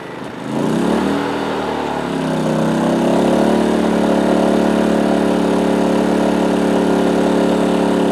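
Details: PowerSmart 2350W inverter generator with CO alert, 1000 W microwave plugged in: engine lifts quickly as load comes on, then settles to a steady, even hum at higher speed; normal speed-up under load.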